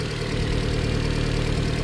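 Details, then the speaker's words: Subaru Sambar mini truck at idle: smooth, even low idle with a steady rumble, no knocks or rattles, engine quiet. The engine mount is not torn; the engine sounds healthy. "so look here at the motor that thing is quiet as a pin all right and there is your engine mount it is not tore at all"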